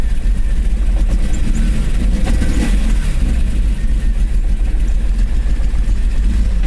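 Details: Worn distributor cap and rotor on a BMW E34 M5 S38B36: uneven, lumpy running with dips and stumbles as revs rise and fall, a misfire.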